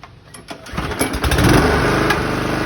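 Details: 2011 Toro Personal Pace 20333 mower, B&S 190cc, after carb clean and rebuild, new spark plug and coil re-gap, which cured its stalling: fires, catches and settles into a steady, even beat with no misses or surging.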